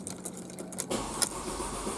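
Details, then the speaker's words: Mercedes C230 with a crank-no-start: steady starter cranking with no catch or firing, and the gauge shows no fuel pressure; the fuel pump proved bad and was replaced. "you can hear it cranking and i ain't getting any fuel pressure so that looks like that might be our problem is that we're not getting any fuel"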